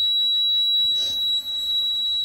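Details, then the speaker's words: Dixie Chopper mower with a Generac engine, after the head was removed and the valves lapped for a rusted valve seat. A steady, high-pitched electronic buzz holds throughout: the oil pressure warning buzzer sounding. "Got a buzzer for the oil pressure. You gotta be kidding me!"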